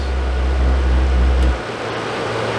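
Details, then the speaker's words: Suburban RV furnace (SF30FQ), after control board replacement: burner roar drops away after 2-3 seconds leaving fan hum; board LED seems to show gas valve being cut off; burner tube and orifice suspected, unconfirmed. "Yeah, there's something going on. Fires up, runs for maybe 2-3 seconds, and then shuts off."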